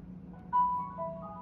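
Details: Whirlpool Cabrio WTW7300DW0 dryer built December 2014, rebuilt with five new parts including rollers: short electronic tune of clean beeps stepping in pitch at switch-on; normal power-on chime.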